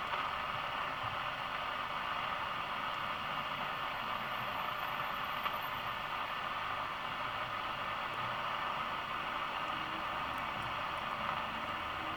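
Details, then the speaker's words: National Panasonic RQ-434DS 1970s boombox radio on mains via isolation transformer, first switch-on: steady even hiss with no voices or music; front end trying to pick up but no station received. "it is trying to pick up things so the front end is working"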